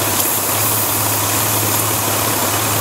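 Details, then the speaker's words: Warm engine idling at about 750 rpm; a vacuum line is pulled to create a small leak: the idle drops and runs a little rough, with a steady airy hiss over an uneven idle. "you guys can tell but running a little rough the RPM is slower now"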